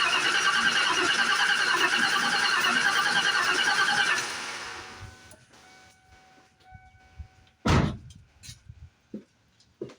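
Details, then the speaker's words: 1995 Ford Mustang GT automatic, sat on a farm for years, battery fitted: brisk even cranking about three beats a second for four seconds, never fires; crank no start, fuel pump sounds like it's running but no fuel, leak suspected near tank. "no fuel sounds like the fuel pump is working says it's got half a tank got no fuel though"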